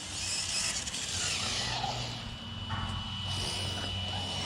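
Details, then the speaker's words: Arrma Kraton ExB electric RC car after differential adjustment: harsh raspy gear noise over thin high whine, pinion/spur mesh too loose, chewing up the gear. "that thing's making gear noise you should make sure there's no rocks in there i hear the gear making all kinds of noise"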